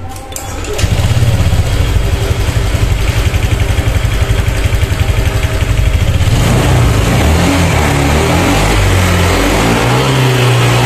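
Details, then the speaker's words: Honda Vario 150 after the fix for hesitation and a bogging throttle at mid and upper rpm: the scooter starts, idles and revs up and down smoothly with no stutter or flat spots. "Oke jadi untuk si Vario ini sudah kembali lagi normal untuk Rp matasnya tidak ada gejala merebet ataupun seperti gas kosong ya"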